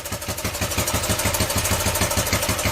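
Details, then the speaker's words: 41-year-old imported Honda XL125S single-cylinder, 5,307 miles, previously unrun, ticking over after first-kick start on choke; even steady thump about ten beats a second, no misses or knocks, sounding spot on. "But yeah, that is sounding spot on."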